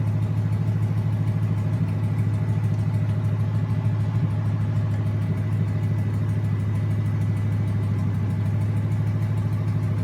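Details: Junkyard 2009 5.7 Hemi, about 80,000 miles, bound for a 1972 Cuda, on a run stand with new Hotwire harness and used 2009 Challenger PCM. First startup. Deep, even V8 idle with steady firing pulse, no misses, knocks or surging. Normal idle.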